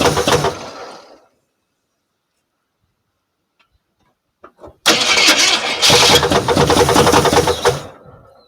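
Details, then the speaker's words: 1977 Jeep Cherokee, first start after more than 20 years parked: short crank, a pause, then the engine catches loud with busy top-end rocker arm chatter at about four per second while the valvetrain gets oil. "see when I first started it up there was a lot of upper end chatter a lot of rocker on there was a lot of rocker arm noise and that's all I could hear was the upper end rattling as it got oil"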